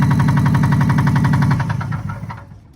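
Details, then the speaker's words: 2003 Subaru Impreza manual, started with a jump: steady fast rhythmic knocking over low engine rumble, possible exhaust issue too; engine knock. "Started up with a jump. Hear the engine knocking. Also sounds like it has an exhaust issue."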